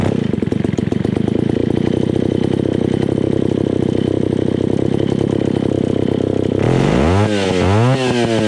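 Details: Old, beat-up Alpina Pro 120 chainsaw, 120cc, after a carb kit (HS-144B): a rough, uneven idle with irregular firing, then weak, flat throttle blips. Low compression is suspected from the beat-up piston and cylinder.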